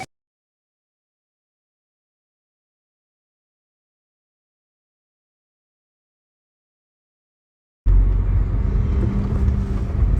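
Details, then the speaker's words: 2012 Hyundai Veracruz test-driven after replacing the right front CV axle, which had clicked while turning: a steady low rumble and light wind noise, with no clicking while turning. "I don't hear the noise anymore"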